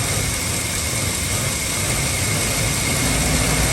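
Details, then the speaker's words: 2003 Ford F-350 Super Duty 5.4 L, no check-engine light: idle stumbles and sputters unevenly, sagging as if about to die, then catching again; rough idle, cause not yet found. "It's trying to cut off. Been doing this for some time. It's sputtering. I gotta figure out why. No service engine light on. It tries to cut off, but it catches back idle."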